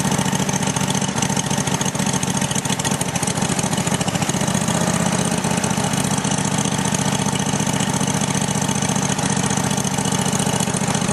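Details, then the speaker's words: Roper small single-cylinder engine just after carburetor refitted, the carburetor confirmed as the problem: steady even putter with no misses or knocks, slightly smoky from paint on the intake; normal running. "little bit Smoky cuz there's uh paint on the intake but it's alive so like I like I said before I was correct it was a carburetor so I'm happy that it runs"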